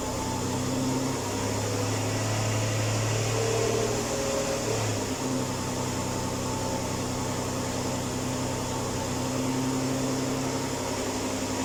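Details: 2005 Ford Escape Limited, engine cold: steady drone with a faint, uneven whirring note on top; noise started a month ago and several mechanics could not locate its source; abnormal cold-engine noise.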